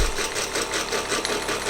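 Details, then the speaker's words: Wilesco D419 kit-built showman's steam engine on its first run, fired by fuel tablets: a fast, busy, steady metallic clatter. The owner suspects the middle drive gear is slightly out of true and tight against the small flywheel gear, causing a crunchy spot. "you notice this is a bit of a rattle on there if you look if you can see that"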